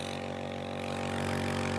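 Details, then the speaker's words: Second-hand nebulizer air pump, mic next to it: steady even electric hum with no rattle or flutter; air flowing, perfectly operational. "that's working fine hear that next to the microphone very good okay that's a perfectly operational air pump"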